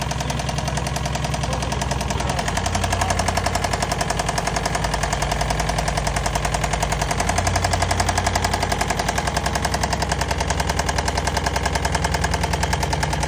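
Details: Sharp, regular knock about three and a half raps per second over idle, holding steady; suspected rod knock, louder on one side of the engine; owner considering disconnecting one coil at a time to find the cylinder. Cause not confirmed.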